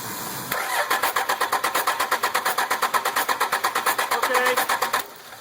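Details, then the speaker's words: 1998-2003 Dodge 5.9L Cummins with VP44 injection pump cranking evenly, compression puffs never catching. A stuck-open injector forces compression back into the pump and pushes fuel out, so it won't start. Crank no-start. "all right that's your reason for no start okay and as you can see that stuck open injector would not allow this engine to start"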